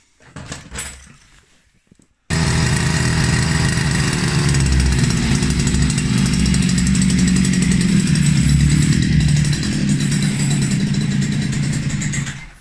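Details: Russian URAL MASH 5.7 hp brush cutter, new, first start while assembling and running in: quick pull, small two-stroke catches at once on first try and holds a steady buzzing high idle, no stumbles; healthy start.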